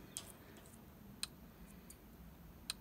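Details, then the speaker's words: Parmak Magnum solar-powered electric fence charger with lead-acid battery on a bear-proof apiary: faint sharp ticks roughly every second, the charger pulsing the fence normally. "that ticking when it's pulsing that's not a good uh wouldn't have a good day if you grab onto that"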